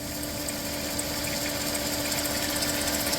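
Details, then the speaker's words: Minivan at about 322,837 on the odometer, start after a full new ignition tune-up, heard from under the van: steady idle with a whirring hum, a fast rattling tick about four per second, and a squeak. The water pump pulley is visibly wobbling; water pump bearing failing. "That water pump pulley is wobbling and I think she's getting closer to giving out here."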